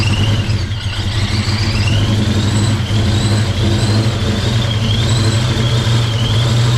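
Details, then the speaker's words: Project car V8 just fired up after 11 years sitting: uneven lumpy rumble with a wavering high squeak over it; running rough, cause unknown. "It's running like but it's running. Fired up for the first time in 11 years. And I'm really pumped. Yeah, something's not right."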